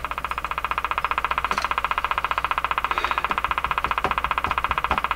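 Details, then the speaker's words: General Electric KL-70 AM/SW radio with a non-working AM broadcast band: buzzy tones pulsing steadily about 2.5 times a second, a periodic interference ticking that changes pace as the tuning capacitor moves; source unknown, not the radio itself. "listen to the ticking it's slow down what what is it what is it but that's the strangest thing this is not just that it's noise it's that this ticking changes pace mister its mysteries so"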